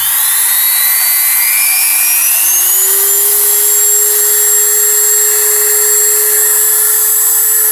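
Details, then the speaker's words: Five-day-old Dremel 3000 rotary tool at maximum speed: piercing whistle climbs as it spins up then holds steady and shrill; whistle absent when new, appeared after first two days, shaft also jerky with slight runout; cause unknown. "тоже уже был слышен такой пронзительный свист которого изначально не было изначально это в первые два дня после покупки"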